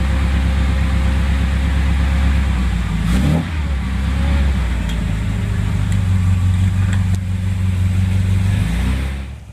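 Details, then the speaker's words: 1957 Morgan Plus 4 with Triumph TR4 engine (about 2188cc), cold start with too much choke, good oil pressure: lumpy rich running, revs hunting rather than settling; sound due to choke still on. "it's making that sound because it's still choked"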